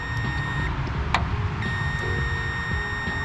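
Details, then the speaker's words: 1985 Dodge D150: a continuity tester gives a steady high-pitched tone almost without a break with the key on, showing the relay wire is shorted. The short lies somewhere along the ignition path. "so once that's turned on it's being shorted out too let's check some of these other wires in here real quick because that just that shouldn't be that way"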